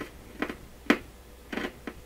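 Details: PYE Columbia Stereo 360, 50-plus-year-old unit, while examining the bottom of the circuit board: sharp irregular crackles and pops, four bursts in two seconds over a quiet background, from a cold solder joint under two large capacitors; capacitors possibly defective too.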